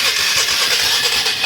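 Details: 1996 Polaris Marauder 425 4x4, liquid-cooled four-stroke, with fuel on reserve and ignition on: the starter grinds in a quick, uneven churn and the engine never catches. Owner suspects a weak solenoid, no fuel in the filter and an unknown fuel pump; not confirmed.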